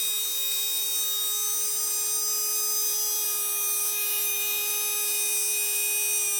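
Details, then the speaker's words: Tamiya Dynatech 01R brushed motor after strip, clean and rebuild, during timing adjustment: clean, steady high whine holding one pitch, no rattle or scraping; spinning freely, normal running. "hopefully you'll be able to hear it increase and decrease and the idea is to get it to its sweet spot"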